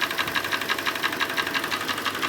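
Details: Hyundai i40 G4NA petrol engine at 60,000 km idling in sub-zero winter: a sharp, even knock about six times a second; piston slap from a scuffed piston, loudest at cylinder one, and it started soon after a recent oil change.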